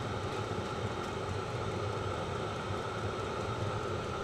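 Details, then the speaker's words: Vevor 5kW diesel parking heater on kerosene, 12 V car battery, running indoors. Constant airy whoosh with faint steady hum, no sputter or surging: normal running. "it's not nearly as noisy as I've heard people complain about the ticking of the fuel pump this sound the whoosh you're hearing you wouldn't hear when this is outside the muffler might even quiet that if I"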